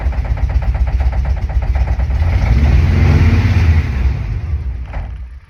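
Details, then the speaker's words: Air-cooled VW bay window camper van with its original fuel pump refitted in place of a leaking secondhand one. Held at revs, it throbs fast and unevenly, surges, sags and fades out, running rough and unable to hold revs. Owners suspect a vacuum leak or carburetor settings, not just fueling. "at this point we're starting to think that it might not just be the fueling that's the issue so we start exploring other possibilities such as a vacuum leak and carburetor settings"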